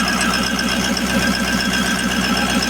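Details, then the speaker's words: Ford E350 van, 6.0 Powerstroke diesel V8, after replacing all eight injectors for a cylinder 7 misfire: even steady diesel clatter at idle, regular beat, no stumble or skip. Normal idle, all injectors working. "guess that is the noise to success, or the sound of success right there. All 8 injectors are working."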